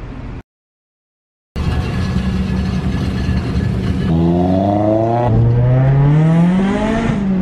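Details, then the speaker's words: Honda Civic EG built around 2002, with engine work around 2008, after sitting a while: the note climbs smoothly through the revs with even firing and no knocks, rattles or misses. Healthy engine revving. "It sounds like an EG, doesn't it?"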